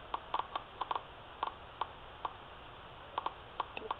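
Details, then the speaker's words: Laptop speaker tested with an analog multitester on its leads reads about 4 ohms; sharp irregular crackling clicks as the probes touch show the speaker coil is healthy. "This one here. You hear that cracking sound? That's good. And also 4 ohms."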